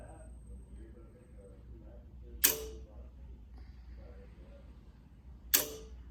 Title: Clicking Sound In Wega Giemme Module